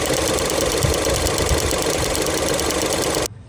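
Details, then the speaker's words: Ford Mondeo Titanium sold as a 2 L petrol: quick light tick-tick at a steady idle, about three per second, keeping time with the engine, seemingly from around the alternator; source not pinned down. "but thinking that something around the alternator was like ticking. It was kind of going tick tick tick tick tick tick."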